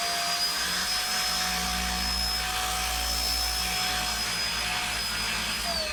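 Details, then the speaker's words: Shark DuoClean corded stick vacuum, cutting out when connected to base: steady high motor whine holds several seconds, then pitch slides down as the motor cuts out when switching off the higher carpet power setting; cause not confirmed. "If if I turn it on and then press that and it's working. If I try and turn off the higher set, it just cuts out."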